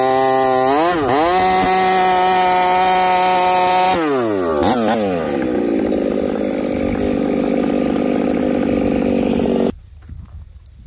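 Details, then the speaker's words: Chainsaw with new bar and first home-spun chain, after carb adjustment: winds up to a full-throttle scream in the cut, then goes ragged and uneven at the top, breaking up at high revs; owner suspects the ignition coil. "well friends this chain Cuts not too bad the sauce breaking up still I guess we'll go back to the bench with this one maybe it is time for a coil"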